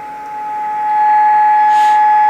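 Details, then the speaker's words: Vintage Hy-Gain Hy-Range V model 674B 23-channel SSB CB transceiver after repair, receive test at -118 with squelch fully open: clean steady mid-pitch test tone heard clearly through hiss; receiver sensitivity good. "pretty good. Yeah, I mean, negative 118, you can still hear it in there."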